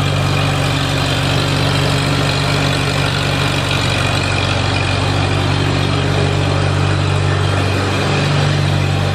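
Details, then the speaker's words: Farmall Super A tractor, newly running after ground and wire repairs restored spark, warming up with oil in it: even low chugging idle about four beats a second, no knocks or misses; normal idle. "well I thought I'd let that thing warm up just a little bit I know it's got oil in it"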